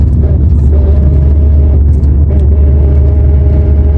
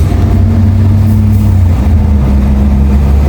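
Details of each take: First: Nissan Primera P11 manual gearbox, in 3rd under throttle: steady mid-pitched whir over the drivetrain rumble, stopping when the clutch is pressed; worn input shaft bearing, gearbox had water ingress, repaired by gearbox rebuild. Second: Nissan Primera P11 after gearbox rebuild for a worn input shaft bearing: steady, smooth low engine drone in gear and neutral, clutch pressed or released, with no whine or clunk; fixed.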